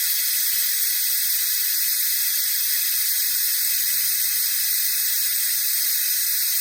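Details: Jeep YJ cooling system under a venturi vacuum bleeder on shop air, aiming for about 25 inHg: even, unbroken high hiss drawing vacuum normally. The system later lost vacuum, showing a leak.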